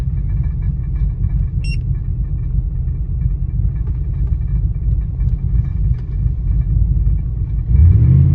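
Low, uneven idle rumble with an irregular lope and stumbles about three times a second; the engine is idling rough, cause unknown.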